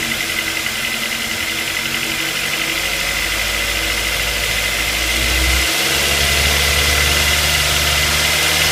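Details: Ford Focus 2 with 2.0 Duratec at idle: fast, fairly even tapping of about three to four per second, from low on the engine near the crankshaft pulley and AC compressor; engine knock, cause unconfirmed.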